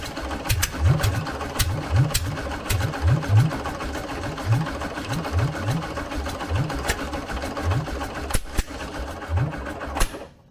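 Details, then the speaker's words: VW 1303S Beetle, rebuilt 1915cc engine, alternator belt fitted: uneven cranking bursts about one a second, no firing between; ignition timing far out, so no start; baseline 7.5° BTDC to be set. "all right our timing was miles"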